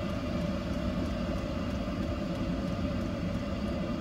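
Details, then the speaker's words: Portable Chinese 12V 8kW diesel heater fitted on a boat, being turned down: steady fan rush with a faint regular fuel pump tick about four times a second that slows as less diesel goes to the burner. Normal operation at reduced output. "The fuel pump will get slower because it doesn't require the amount of diesel to the burner."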